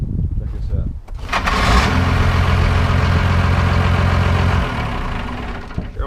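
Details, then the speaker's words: Warmed-up Cummins diesel truck after adding extra and replaced starter cables: very fast, brief crank of well under a second, then it catches and settles into a steady idle; normal, healthy quick start. "oh my my this sounds like it's a machine-gunner one-off or something that's ridiculous"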